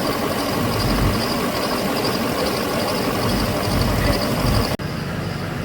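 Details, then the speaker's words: 2007 Chevrolet Silverado 6.6 Duramax LMM with a used replacement engine, after cycling connector 108: even diesel V8 idle with steady rumble and light clatter; the cylinder 6 and 7 misfire and injector codes have cleared. "the vehicle seems to be running nice and smooth now"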